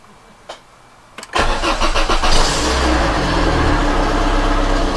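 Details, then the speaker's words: Volvo 480 2.0 litre, first start attempt after years sitting, plugs refitted, freshly charged battery, fuel pump primed; clicks then cranking that catches unevenly and almost starts. "ignition on fuel pump has primed let's try turning it over that was close it almost started"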